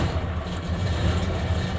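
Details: Hino Lohan diesel truck, after replacing the starter and a blown starter fuse that had caused click-only no-start: even, steady low-throb idle with no clicking; engine running normally.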